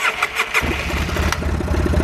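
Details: 2005 Polaris Sportsman 700 after fixing overheating, codes 41 and 45, from bad barometric pressure sensor plug: a few cranking beats, then catches and settles into even, steady idle, no misfires; normal start.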